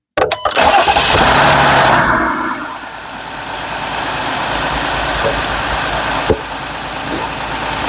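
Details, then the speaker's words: Jeep 3.6 Pentastar V6 just started after oil change from 0W20 to 5W30 synthetic to quiet valvetrain ticking; starter whirr, quick flare, then even quiet idle with no top-end ticking; valvetrain already sounds quieter; normal idle. "So I just started the engine, obviously, letting it circulate through. Then I'll shut it back off and check the oil level again, now that the filter's all filled up and everything. But honestly, to me, it already sounds like it's a little quieter."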